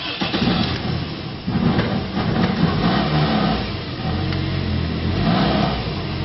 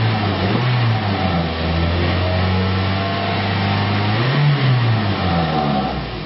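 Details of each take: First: 2001 Toyota Echo 1.5 L, junkyard replacement engine: it labours and barely revs, stumbling unevenly, with the check engine light flashing on and off. The cause is a bad engine computer ground and there is no scanner communication. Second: 2001 Toyota Echo 1.5 L after the engine computer ground repair: two clean throttle blips rise and fall smoothly back to a steady idle, with no stumble or misfire.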